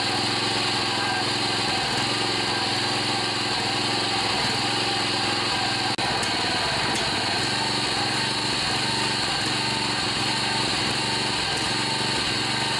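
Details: John Deere 14PB self-propelled mower, Kawasaki 5.0 hp OHV engine, after carburetor clean and rebuild with plugged slow and main jets cleared: steady high-pitched buzz at one even speed, no surging or sputter; running normally.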